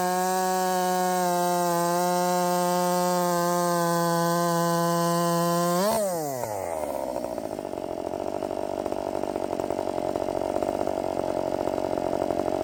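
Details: Redmax 5000 chainsaw with 16-in bar, .325 steel RS chain, 8-pin sprocket, after wide-open exhaust port muffler mod, near 12,000 rpm: high clean screaming note held steady then dropping smoothly off throttle; strong, healthy, feels blazing fast.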